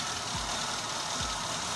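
Quiet, even idle with no squeal or chirp from the belt; the engine sounds settled and normal.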